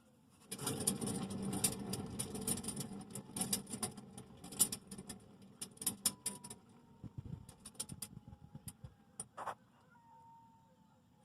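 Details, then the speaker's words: 2009 Toyota Yaris with 390,000 miles howling at highway speed; the hand-spun rear wheel gives a rough, gritty grinding with scattered clicks: worn rear hub bearing, both rears to be replaced. "so that's the culprit it's the uh the rear bearings are shot at least the one on this side is shot"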